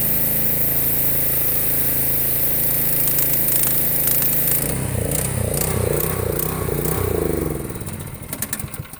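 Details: Honda GX160 pressure washer with a new Cat pump rated 2750 psi at 2.5 gpm, trigger pulled: small single holds a steady, even beat under pump load without bogging.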